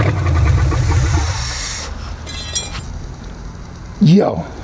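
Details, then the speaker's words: Ford Maverick with junkyard EFI conversion, first start that stays running: catches with firm, even pulses and settles to a smooth idle, running normally. "we straight now baby this oh let me turn this fuel pump off oh man engine sounds good"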